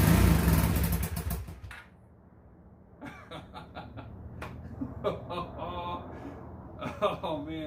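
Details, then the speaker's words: Rebuilt 2002 Honda Magna VF750C after the rebuild, new clutch cable and fresh oil; catches quickly on the starter with a strong burst, then settles to a low even idle rumble; starts surprisingly easily, healthy. "I am so surprised on how easy that starts oh there's so much happiness"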